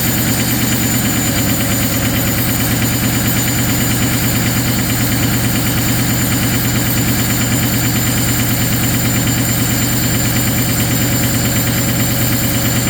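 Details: Ford 6.0 Powerstroke diesel at -2°F high idle: loud uneven stumbling beat around three pulses a second, like it's missing; fuel partially gelled in the cold.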